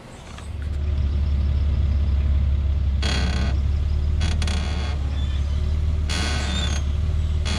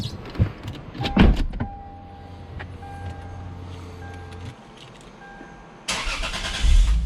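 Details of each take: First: Lexus GS passenger-side front upper control arm bushing creaking when the steering wheel is turned very slightly at idle, dry rasping creaks in short bursts; the squeak developed over two to three weeks and was fixed by replacing the upper control arms. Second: Lexus GS after both front upper control arms were replaced to cure a passenger-side suspension squeak, test drive: engine starts, car pulls away and turns with only low engine and tire sounds; no squeak from the front suspension.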